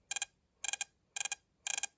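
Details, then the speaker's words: Mopar distributor bench-tested with battery, basic wiring and a spark plug: crisp sharp snaps in quick groups of four, about twice a second, clean and strong; a healthy spark, physically stronger than the other ignition systems tested. "That's a physically stronger spark than any of the other items that I've tested today."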